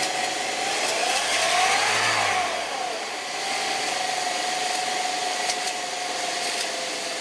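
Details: 2007 Saab 9-3 1.8T, cold start: fast light chattering rattle and whirr over idle, gone after about five minutes warm; cause was balance chain tensioner and broken guide, noise gone after replacement.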